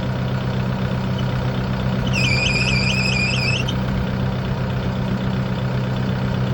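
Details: Kubota broom tractor during a pre-trip inspection; over a steady diesel idle, a high warbling squeal pulses about four times a second. Operator attributes it to a bad belt or pulley, identifiable by the pulley that keeps stopping.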